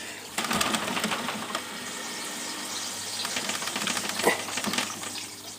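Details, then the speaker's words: All Pond Solutions external canister aquarium filter with irregular splashing and gurgling from trapped air bubbling out through the spray bar as it is shaken; runs quiet with only normal pump buzz once purged. "shake and you'll see all the bubbles coming out of there this tube and they'll come out your spray bar okay so I can just about a bit more splashing"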